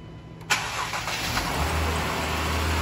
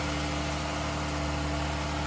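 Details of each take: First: 2011 Dodge Durango 3.6 Pentastar, driven while overheating after its oil cooler/filter housing ruptured: cranks and catches quickly into an even idle, no misfire or knock, oil not milky; blown head gasket shown only by block test turning yellow. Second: 2011 Dodge Durango 3.6 Pentastar after repair of a ruptured oil cooler/filter housing that caused overheating, oil showing no milkiness, before a block test: a smooth, even idle with a constant low hum and no ticking or knocking; normal idle.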